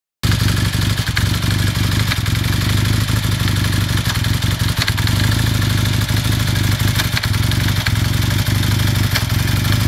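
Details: 1981 Kawasaki KZ440 twin, warmed up at idle: constant rapid clatter, steady throughout without easing, a knocking noise from the engine with no clear cause yet.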